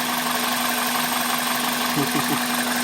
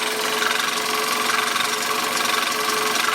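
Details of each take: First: 1999 Toyota Corolla after fitting a junkyard power steering pump and fresh fluid: even, steady idle with a smooth low hum and no grinding from the accessory drive, a normal idle. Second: 1999 Toyota Corolla idling: harsh gritty grind with a faint steady whine over the engine. Grinding from a failing power steering pump, later replaced.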